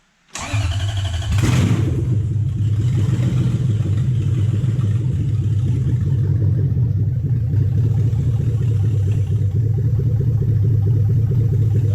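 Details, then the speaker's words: 2007 Toyota Hilux Vigo 4x4 with swapped 3UZ V8 and manual gearbox, first start after wiring. A short crank catches into a heavy, uneven, lumpy rumble that never settles. A large manifold leak is noted and the owner suspects the belt; the cause is unconfirmed. "and now it runs cool do you like it sounds good to me we are going to have to discuss your definition of sounding good and not sounding"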